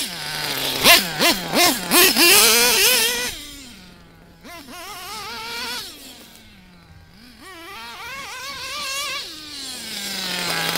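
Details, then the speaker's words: Nitro RC engine during tuning, leaning the low-speed needle in small steps: buzzy revs blip up several times, then idle hangs slightly longer before rpm sags; slight improvement but low-speed needle still slightly rich. "you can hear a slight improvement here in this clip and a little bit longer of an idle before the rpms drop again"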